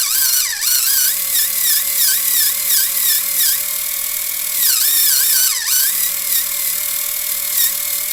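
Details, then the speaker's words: Axial SCX24 JLU with OGRC CVD axles, trimmed axle housings and underdrive gears (11% front, 33% rear), steering dual rate turned down. At full steering lock the high motor whine dips and bogs as the drivetrain binds and stalls the motor. "It gets really tight. So tight. Can you hear that? And there it's bogging the motor."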